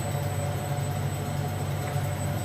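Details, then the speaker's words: Plastic injection molding machine running white ABS ring molds in semi-automatic mode: steady low hum with a faint even whine as injection unit two, then unit one, recharges plastic; no knocks or grinding, normal screw recovery. "and that's the sound of injection unit two filling and we've got about a third of an inch of plastic left for about 10 millimeters so that's good and we are refilling injection unit number two and now we're refilling injection unit number one"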